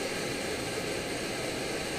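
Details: Omnifuel stove burner, preheated on stove fuel, with OmniDawg silent damper cap, fuel knob turned almost closed to restrict flow; smooth even hiss-roar with the pulsing chugging eliminated; steady burner roar.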